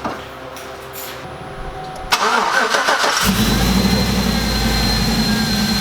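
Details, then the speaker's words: Silverado V8 after installing a cheap eBay oil catch can with an open breather: cranks, catches and settles into a slightly uneven idle from unmetered air; vacuum leak, runs better once the breather is removed and plugged. "Alright, it didn't like that. Well, good to know."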